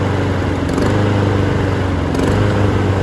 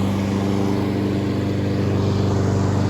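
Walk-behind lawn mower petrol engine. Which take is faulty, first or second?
first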